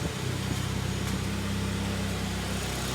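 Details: 2011 Hyundai ix35 G4KD, front-wheel drive automatic, 157,000 km, LPG fitted, recorded from outside on petrol after repair of loud cylinder-scoring knock: steady, even low idle, smooth beat, no knocks or ticks; runs quiet.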